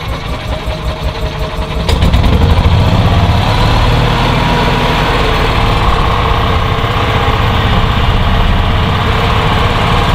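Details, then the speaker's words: 2010 EZGO RXV gas golf cart: the engine picks up, then a loud, harsh, steady high-pitched scraping and tinging rides over the run, from the CVT drive and driven clutches rubbing against each other. "but there was like a really loud high-pitched scratching scraping tinging sound almost sounds like the internal parts of the motor are ready"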